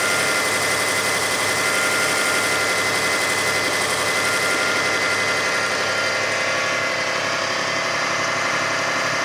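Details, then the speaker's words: 2005 Kia Sedona 3.5L V6 at high idle during warm-up, about a minute after a quiet cold start, 116,000 miles, after new timing belt, tensioners, idler, water pump and harmonic balancer: busy rhythmic ticking-chatter begins faintly; loosening belt tension didn't change it; cause unidentified. "I'm just starting to hear it. Just barely. About a minute gone by. Still on high idle as it warms up."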